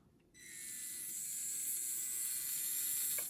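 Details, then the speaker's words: MA-020S SP chassis conversion with Mini-Z design giving zero motor play, during rebuild: smooth, steady high-pitched whir winding up evenly with no clicking or grinding; normal gear mesh. "your motor has nowhere to move it has zero play so you have perfect gear mash every time and it sounds like this"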